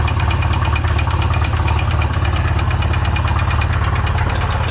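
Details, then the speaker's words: Polaris RZR engine, freshly built, previously locked up and freed, running on Lucas oil instead of engine oil: loud steady clatter about three knocks a second through idle; owner suspects rod bearings seized to crank; engine soon stops. "Oh, it's idling. Doesn't sound good."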